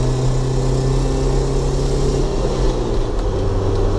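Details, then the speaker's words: 2005 Jeep Wrangler TJ 2.4, about 3,500 rpm in third over half throttle uphill: fast, gritty marbles-in-a-can rattle over the drone, louder with revs, absent at idle or light throttle, no codes, exhaust fine, new timing belt; cause unknown. "just go over 3,000 and give it over half throttle, it'll just start making that noise. And faster the engine goes, the more louder it gets."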